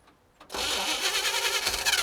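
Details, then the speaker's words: 1960 Chevrolet El Camino unrun since 1998, after sanding off corrosion gave a small coil spark, run on squirted gasoline; after a few clicks it catches with a rough, ragged roar and then dies, possibly flooded. "It fired for a minute. Maybe it's flooded. But it did make noise. Very briefly, it made noise, which means there's a chance, there's potential."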